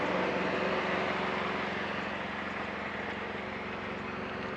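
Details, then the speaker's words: 2007 Dodge Caliber at the tailpipe after a DIY welded muffler repair; the muffler had rusted off the manifold. Soft, even idle with no puffing, ticking or blowing, nearly as quiet as new. Normal exhaust idle. "this car is as quiet pretty much as it was new"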